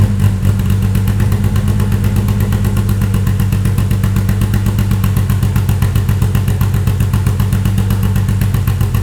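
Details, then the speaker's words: Toyota 2.7L 1AR-FE in MR2 Spyder on Haltech Elite 1500 ECU, stock except 280-degree cams and valve springs, intake cam advanced 30 degrees, raised idle: deep steady loping idle, no knocks; normal lumpy idle from cam overlap. "there you go i love variable valve cap i love variable valve timing it's got nice little lope"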